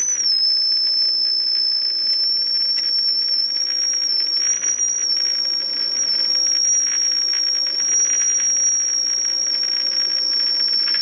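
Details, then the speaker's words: Philco 48-250 tube radio after capacitor replacement, IF alignment: steady high whistle holds level over soft hiss, no wavering; IF stage peaked well, first alignment step complete. "I think we have it Peak pretty well okay that takes care of that first step"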